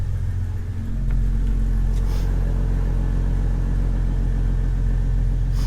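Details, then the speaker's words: Ford Falcon AU turbo build, started on the hoist after welding plates and before warm-up, quieter than before: a smooth, low idle rumble that settles and holds steady, with subdued exhaust and no ticks, leaks or roughness. Normal idle. "other than that i'll start up so you can hear it now and um yeah then i'll just drop it and we'll see what it looks like for the first time on the ground so it's much quieter"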